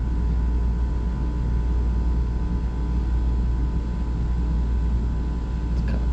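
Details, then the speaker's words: Johnson Controls water-cooled packaged heat pump in a ceiling, not cooling: compressor just started after the water valve opened; R-410A, suction pressure low, recovering, then dropping oddly; steady low hum with faint tone, no knocking or rattling. "let's hope this thing starts compressor just started this is refrigerant 410A back pressure started a bit low but it's coming back up"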